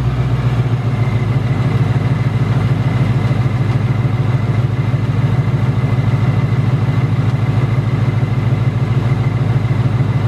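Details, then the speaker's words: 2018–2019 Ford Mustang GT Coyote V8 at idle: fast, fairly even metallic tick about three per second, returned over the last two weeks louder than ever; known BBQ/typewriter tick, also rattles, cause unknown, not direct injection per owner. "the tick you know came back like in the last two weeks it's louder than ever and I'm not exactly sure what this tick is"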